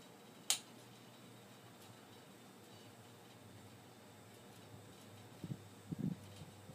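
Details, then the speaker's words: Restored Hunter Model 52 ceiling fan on high: quiet steady low motor hum with a faint whine, a startup sound it keeps while running, no rubbing or rattling; the only Hunter of the owner's that whines, normal running. "this is actually the only Hunter Fan that I have that makes that whiny noise has that startup sound and then it keeps that sound as it goes"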